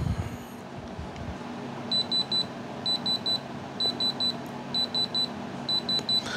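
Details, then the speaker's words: Handheld diamond tester calibrated at about 4.5, probe held at 90° on the stone: bright high beeps in sets of three, indicating a genuine diamond. "when you hear that beep those beeps say three beeps that is a diamond that is how you determine"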